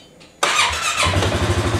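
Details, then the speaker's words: Healthy 2018 Polaris Sportsman ACE 570 for comparison with a 2019 one that cranks slowly with a suspected bad battery: catches almost instantly, settles to steady even idle; normal quick start. "that's what it should sound like nice and quick"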